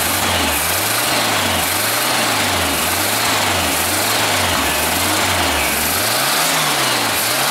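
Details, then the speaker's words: 1974 Super Beetle rebuilt air-cooled flat-four after reinstall, with a larger drilled carb jet and bad gas: gentle revs rising and falling, firing smooth and even; runs well. "there it is just needed me to do it that's running with the shitty gas in it actually it runs pretty damn good"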